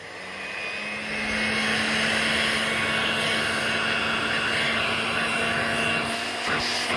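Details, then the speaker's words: Old vacuum cleaner from a vintage lot (G.E.C. DM380, Hoover Dustette Model 100, Vorwerk Vacmaster), first run after a switch fiddle: surprisingly quiet, steady motor hum with level rushing airflow and suction; normal running. "wow that is quiet well oh maybe that is on then god it sounds quiet though"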